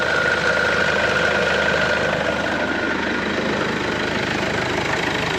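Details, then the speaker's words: Mercedes B-Class 1.8 CDI diesel idling cold (oil about 17°C) during a dual-clutch gearbox oil check; a loose, uneven clattering rattle over the engine note comes from a very noisy dual-mass flywheel. "A ogólnie tutaj w tym pojeździe strasznie hałasuje koło dwumasowe to będzie słychać Słychać ewidentnie"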